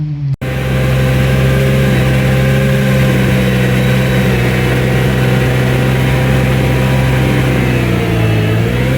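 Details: New Vermeer SC1052 stump grinder cutting in extremely wet ground: steady engine drone bogs slightly as cutter bites, then RPM climbs back; normal loaded running.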